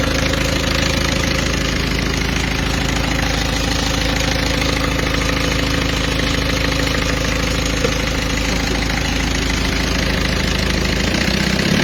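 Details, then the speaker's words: Peugeot 206 2.0 HDi 90 after the over-tensioned timing belt was corrected, covers still off: steady, even diesel idle with normal light clatter and the belt whine gone. "voilà donc là on a plus de bruit tout est bon on va faire on va couper pour éviter de prendre le moindre risque"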